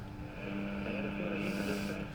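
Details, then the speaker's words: Philips 165A five-valve radio, just restored with new knobs, running indoors on an aerial with lights on: steady low buzzy hum under the radio throughout; mains hum on all the radios here but not in Melbourne, cause unknown. "really don't know what that horrible hum"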